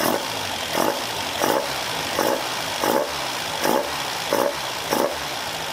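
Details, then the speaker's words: Caterham Super Seven carburetor engine after re-jetting (60 F11 to 45 F9, venturi downsized): repeated quick throttle blips, revs rising and falling cleanly with the pedal, no stumble or popping; sluggishness gone, response now great. "The sluggishness is gone and the response is great."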